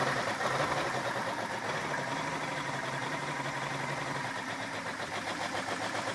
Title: Rough idle